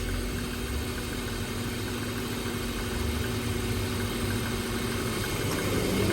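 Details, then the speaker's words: BMW at idle during A/C performance check: faint clutch snap as compressor engages, then condenser electric fan ramps up; clutch cycling on and off, pressures normal for ambient conditions (about 81–93 psi). Normal A/C compressor and fan cycling. "right there that was compressor click on fans ramping up and you can see that it actually demos everything out here you're seeing the clutch kicking off and on and for this vehicle under these ambient conditions these pressures are normal"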